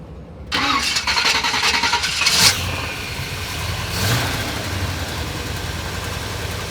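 The starter spins briefly, the engine catches at once and settles into a steady, even idle with no grinding or drag.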